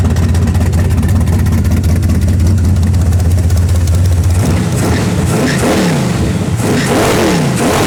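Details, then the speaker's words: Camaro V8 with mufflers, timing just set, choke used: deep steady rumble climbing cleanly through several quick revs and settling without stumbling. Normal start and rev. "pretty cool. Oh, it sounds so good."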